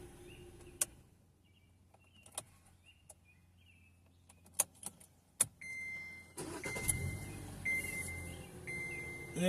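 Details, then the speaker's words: Owner's 2014 Kia Forte after fuel pump job, new pump with old filter: after quiet clicks the engine catches almost instantly on a short crank and settles into steady idle, where before it took a few extra cranks; no leaks, normal quick start. "we go. That's That's starting perfectly. Whereas before it's taking a second, taking a few extra cranks."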